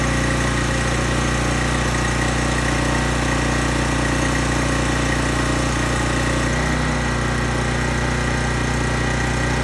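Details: Small engine on a high-pressure washer pump with water connected, after reinstalling the cleaned carburetor. Steady, even low drone with a firm regular beat and no misses or rattles: runs smoothly.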